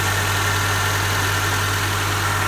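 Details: Honda DC2R engine idling steadily with a low, even hum and no stumbles or knocks; first start after fitting a new battery and disabling the immobiliser on a car sold cheap as a non-starter; normal, smooth idle.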